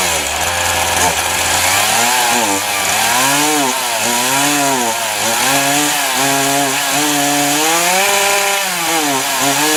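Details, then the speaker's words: Titan TTL759CHN petrol chainsaw cutting wood; revs climb then sag repeatedly through the cut instead of holding a clean high scream, bogging on high revs from an incorrectly set low-speed carburettor mixture, a known problem. "even with a known problem i.e the carb um the low the low settings incorrect so it's it's kind of yeah bogging down on high revs"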